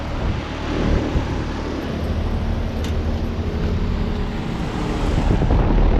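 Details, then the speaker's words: 2022 Heil Sentry 15 3-ton heat pump with LG scroll compressor, running in cool mode at 67°F: steady low hum and fan rush, even drone, no knocks or rattles; normal cooling operation. "This one's actually, I'm glad this one's actually in cool mode, not weirdly heat mode."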